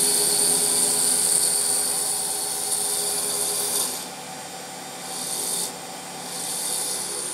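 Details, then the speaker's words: HP Pavilion desktop being revived, graphics card fan (front fan not spinning): loud airy whoosh with high hiss and dry rubbing rasp, surging as speed shifts; noisy graphics card fan. "oh fait du bruit la carte graphique il a ça qui tourne non le ventilo devant ne tourne"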